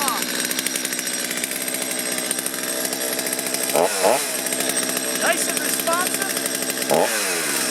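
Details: Stihl chainsaw after carburetor cleaning, warmed up at factory settings: crisp two-stroke idle with quick, clean rev blips rising and falling without hesitation; running properly.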